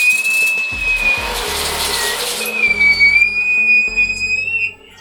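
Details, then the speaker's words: High steady whistle over rushing water as the tap is turned, from a worn faucet cartridge (kran-buksa) that also keeps dripping when closed; fix is replacing the cartridge. "А именно когда санузле у вас получается капает либо шумит и задает неприятные звуки кран-букса"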